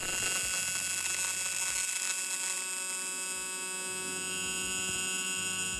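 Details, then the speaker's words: TIG welding on plate: steady high buzz with a rough crackly, static-like edge at the start while the puddle is not yet established and heat builds for the plate thickness, then settles smoother; arc wandering (arc deflection) before the puddle forms. "So you can hear at the start of that one that our puddle is not completely established yet. The heat is still getting established in relation to the plate thickness that I am using there."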